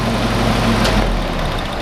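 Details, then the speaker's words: Willys CJ2a L134 Go Devil engine after copper head gasket replacement, running about 25 minutes, slight oil burning: steady ticking-over with even low rumble, no shake or stumble, smooth at idle; normal running. "she's running pretty smooth so besides that little bit of oil she's running like a champ"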